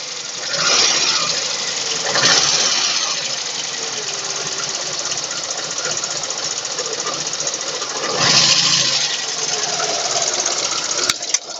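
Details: VAZ 2109 engine running with a light, quick top-end ticking at roughly four per second over the engine; valve tapping.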